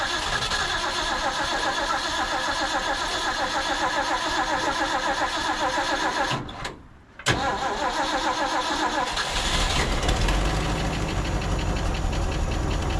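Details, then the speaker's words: 1950s Ford F5 tow truck, long abandoned outdoors, with the air filter refitted: the engine stumbles unevenly, cuts out briefly, then catches and runs ragged. The carburetor is suspected, with fuel leaking from the accelerator pump and gas all over the engine. "I'm thinking that this carburetor is probably the culprit now"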